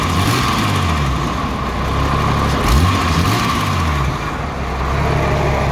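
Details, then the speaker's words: Jeep Cherokee 4.0 inline six, warm, previously misfiring on cylinder 6, after Mystery Motor Oil (owner suspects a stuck lifter freed): picks up cleanly on each blip and settles smoothly, response phenomenal compared to before. "And as far as response goes, the response is phenomenal compared to what it was."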